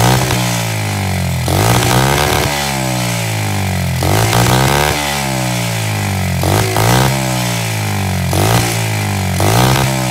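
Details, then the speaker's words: $50 SSR 70 pit bike of unknown running history, started via Italian tune-up on starting fluid without cleaning the carb: single surges up and falls back, never holding steady, rough but idling. "This thing's running and idling. It doesn't sound great, but it's definitely alive."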